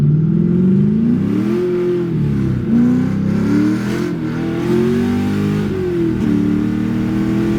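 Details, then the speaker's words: 1994 BMW E36 LS1 V8 swap with replacement T56 Magnum gearbox, straight pipes, hard test drive: pulls cleanly, blips and drops smoothly on each downshift, no clunks; shifting now works after the faulty rebuilt transmission was replaced. "wild oh boys I'm freaking pumped that went perfect went swimmingly"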